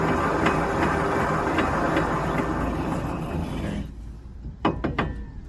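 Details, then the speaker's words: 2004 Ford Explorer wheel bearing/hub removed and turned by hand: rough gritty grinding then metal clunks as it stops, a bad wheel bearing before hub assembly replacement. "Now, this is what bad wheel bearing sounds like."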